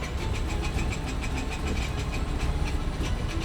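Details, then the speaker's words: Abandoned Mazda FD RX-7 rotary: after long crank runs lumpy and uneven, stumbling, heavy exhaust smoke; suspected leaky or stuck-open fuel injector flooding the engine, not confirmed. "and eventually it got going it's not happy honestly judging from how it doesn't want to run and how much smoke is coming out the exhaust I think we might have a leaky fuel injector"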